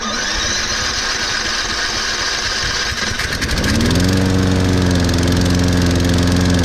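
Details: Toro Recycler 22-in model 20334, 190cc engine, electric start, auto choke, January cold start after sitting some time. Cranking gives way near four seconds to firm, steady idle with even beat; caught and running cleanly.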